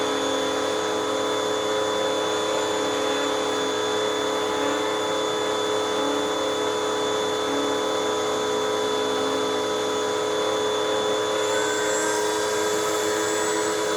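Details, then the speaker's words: Hoover WindTunnel 2 High-Capacity Pet bagless vacuum from 2013, brush roll bearings recently fixed, much quieter than before: steady, even motor hum with a clean high whir, no rattle or grinding from the brush roll; runs smoothly. "in fact i even just recently fixed up the brush roll bearings in this machine and oh it sounds nice it's it's much quieter than what it was and this machine is just from 2013."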